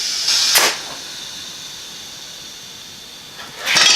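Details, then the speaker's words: Sharp bursts of airy hiss over quiet from the new inner tube in a 60-year-old 13-24 Goodrich Hi-Cleat tire on a 100-year-old wood spoke rim of a Ford AA doodlebug; the heavy-duty tube got a hole, cause unknown, apparently not pinched. "I think it's got a hole in it. Damn it. Well, that didn't work out too good. Now we got a hole in the tube up here somewhere."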